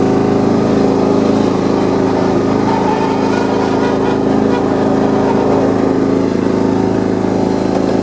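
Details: John Deere 170 lawn tractor after steering, front wheel and deck-height repairs, running on choke. Busy, even single-cylinder buzz at steady speed, no misfires or rattles; normal running.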